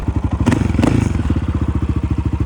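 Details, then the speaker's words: 2008 Honda TRX700XX ATV idling after repair: a steady, even single-cylinder thump, much quieter, with the valves barely audible; it runs normally, though a separate reverse clunk remains. "she's running engine sounds quite a bit better it's a lot quieter you don't hear the valves nearly as"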